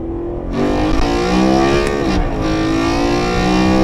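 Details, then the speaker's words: BMW E93 M3 DCT, 125,000 miles, new stiffer 034 Motorsports transmission mounts, coming to a stop: steady engine drone with faint tonal transmission whine over it; normal gear whine, nothing wrong. "so you hear that it's a little more gear wine a little more transmission wine makes it sound like a race car personally I like it uh nothing wrong with it"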